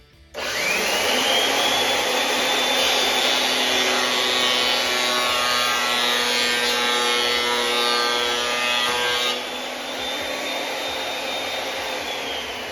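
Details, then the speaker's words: Makita 2012 12-inch lunchbox planer before knife change: motor spins to a steady high whine, then rough rasping cut with a coarse slapping, spanking texture; dull knives with a nick leaving a line down the board. "So that dull knife sound almost sounds like the knife is spanking or slapping the wood because it doesn't have a fresh, clean cut."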